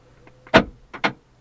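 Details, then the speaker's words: Fiat 500C salvage car, door lock commanded from a diagnostic tool: sharp clicks and a whir as the lock actuator works even though the tool reports failed to execute. "Door lock. If I won't show you the door, but you'll hear it click."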